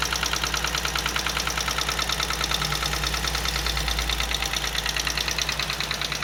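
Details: Chevrolet Onix Plus engine on first start in the morning, cold, when the brake is applied: steady rapid ticking knock, about three per second, over cold idle with hiss; knocking noise on cold start, cause not known.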